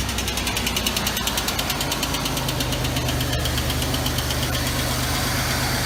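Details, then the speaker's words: 1989 Oldsmobile Toronado Trofeo just out of storage, at start-up: quick, even light tapping over idle that eases after a few seconds; a loose bolt is suspected. "You hear the way it was tapping though when it started? I didn't like that."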